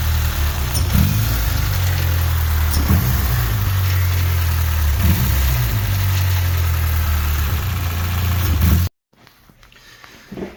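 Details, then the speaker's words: Engine idling and revving with a light, uneven tapping knock from the cylinder head, louder as revs fall; valvetrain noise suspected, with valve lash to be rechecked if it was done. "And you should be able to hear the knocking sound um from the head."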